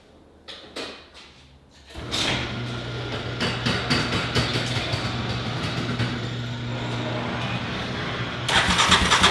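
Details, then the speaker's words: Yamaha Raptor 700 sport ATV single during maintenance, started after oil service to idle and recheck dry-sump reservoir oil level: brief crank, fires and settles into a steady, even thumping idle; healthy start and idle. "So, put the dipstick back in and then we'll start it up and let it idle and then double check the oil level."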